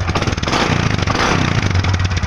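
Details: Supra X 125 FI after diagnosis of a faulty stator coil (spool) that had drained the battery and cut ECU supply, leaving it unable to start: steady, even idle with quick regular beat, no knocks or misses; normal idle.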